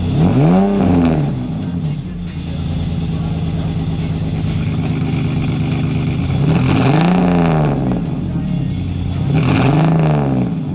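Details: BMW E46 330ci drift build with headers, a new custom valved exhaust and solid Condor Speed Shop mounts: clean rising and falling revs with a deep, even note and no rattles or blowing; the valve changes the tone rather than the volume.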